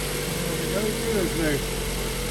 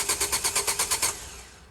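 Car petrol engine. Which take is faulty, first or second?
second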